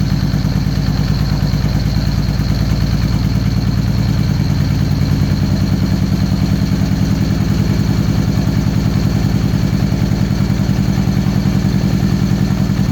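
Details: 2013 Victory Cross Country supercharged V-twin after sitting over a year: lumpy chuffing idle with a clattery beat and missing pulses, running on one cylinder. The front cylinder stays cold after the plug wire swap, so the coil and plugs are to be changed.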